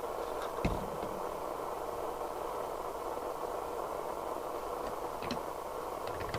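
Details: Restored scrap-chassis President KP77 UK FM CB base station on the extension speaker: a steady, even hiss with no signal behind it, so FM receive audio is noisy and poor. Capacitors are suspected but not confirmed.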